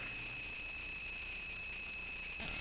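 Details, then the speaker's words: Bare Conductive Touch Board playing sound through its audio output: a constant high-pitched electrical whine that never changes pitch; cause unknown. "all right and i'm going to mute that because that is a very annoying sound and i'm not quite sure why it's so noisy"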